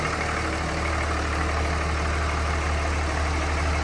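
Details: 2003 Ram with 5.9 Cummins diesel, first startup after injector replacement with fuel lines bled by cranking: steady, even diesel idle with a smooth low rumble and no irregular knock or stumble; the injector swap fixed the problem and it runs fine.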